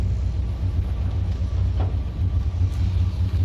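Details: GMC Sierra 1500 truck after addressing the loose, squeaky tailgate cables: steady low idle rumble with no squeak or rattle; tailgate noise gone; normal idle.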